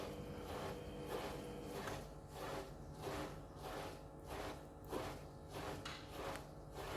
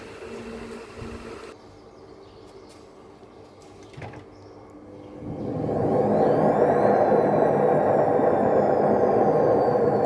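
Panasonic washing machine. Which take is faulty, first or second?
second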